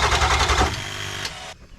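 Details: Ford F250 7.3 Powerstroke diesel that would not start after a passenger-side injector replacement, cranked on a jump box after glow: fast even cranking chug for under a second winds down with no catch, then silence; crank no-start.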